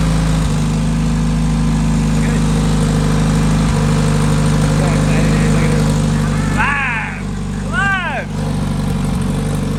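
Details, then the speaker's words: Freshly built Honda K-series race car engine running smoothly: steady low hum, no knocks, misses or rattles; sounds really good. "There we go. She sounds good. Like really good."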